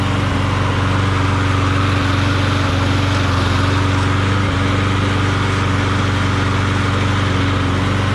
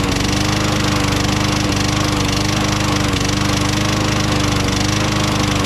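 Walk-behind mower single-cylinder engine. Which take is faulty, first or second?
second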